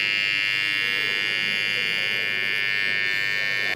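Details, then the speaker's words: AC-coil contactor energized with a small piece of paper between armature and core, simulating dirt: loud steady electrical buzz, cut off when power drops; normally almost silent, noise from uneven armature-to-core contact. "теперь цементируем грязь на якоре сердечники просто положим маленький кусочек бумажки вот так были просто собирай контактор время питания же отчетливо слышно"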